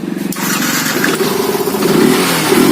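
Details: Yamaha FZ fuel-injected motorcycle with missing problem, after malfunction light cleared: engine picks up cleanly and revs smoothly with a steady rising note, no misfire; normal revving.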